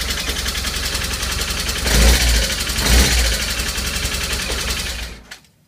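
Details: BMW R1200S boxer twin idling: light, fast clicking over the exhaust after a valve adjustment, then switched off; owner unsure if normal.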